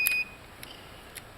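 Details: GE microwave door microswitch (the fault made the fan and turntable run with the door open) tested on a quiet bench: one short, clean high beep as the meter shows continuity, so this door switch is good.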